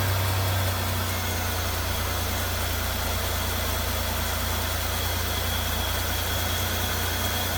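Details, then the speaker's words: 2002 Buick LeSabre after a rough winter, started after fitting belt on crank pulley during maintenance: steady even idle, low rumble, no belt squeal or chirp; runs fine. "Yeah, it looks like we are running fantastic."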